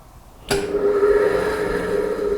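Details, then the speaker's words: Herbert Junior surface grinder three-phase motor on a home-made static converter in cold weather: steady loud hum at switch-on but never winds up to speed; motor stalls, converter lacks torque in cold, would start in summer. "no it's stalled look you hear it now if I keep trying this it may work but I don't want to damage anything if that was the summer that would start okay"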